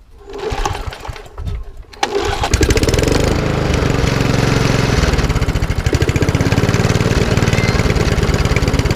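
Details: Lawnmower with RV150 engine and Briggs air box, after carb bolts tightened and fuel added: a couple of sputtering start attempts, then catches and runs steady and even with no knocks or surging.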